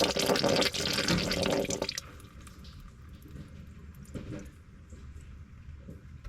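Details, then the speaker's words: VW Tiguan rear sunroof drain, water pooling under floor, after clearing grommet with trimmer line: water poured in gurgles hard at the top for a couple of seconds, then settles to a quiet trickle; drain now flowing freely. "So, it's gargling up top now when I pour the water through."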